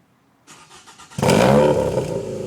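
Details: Scion tC, currently naturally aspirated, catching and revving with a loud raspy, puffing exhaust note; the exhaust leaks badly from a holed muffler and burnt-out gaskets.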